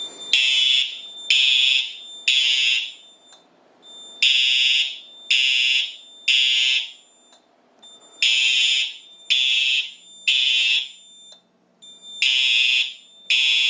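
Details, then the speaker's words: Simplex 4100U fire alarm system in horns-only mode (speaker circuit disabled, four horn strobes), triggered from a 2099-9103 break-glass pull station: three shrill horn blasts, a pause, three more, repeating; temporal-3 evacuation pattern sounding properly. "3, 2, 1. It's gonna be loud."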